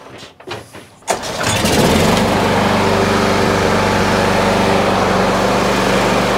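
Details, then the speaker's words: Lawn mower that would not start, after taking up the cable about 2–3 mm and adjusting the micro switch; started with choke: one pull, catches at once and settles into a steady even idle; starts and runs normally, fixed. "So it starts and stops. Let's do it again. Just testing just for fail safe. Make sure it's not actually just a fluke."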